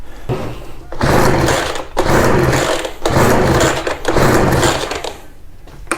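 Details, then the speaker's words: Ryobi BR42 two-stroke backpack blower, sat one to two years, fuel lines mixed up so it was running out of fuel. It revs in uneven one-second surges, sagging between bursts, then fades out. Engine dying from reversed fuel lines. "it was running out i think that's what happened sorry so now we are pulling it more from here"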